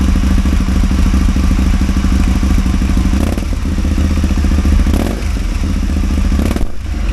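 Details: Caponord 1000 V-twin idling with an uneven, stumbling beat and irregular dull thuds breaking the rhythm: a misfire on one cylinder, cause unclear.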